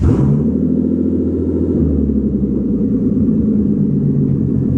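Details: Bentley Continental GT, off the road since 2016, under repair amid electrical faults: steady, even low idle rumble with a smooth beat and no misses, knocks or rattles; engine sounds healthy.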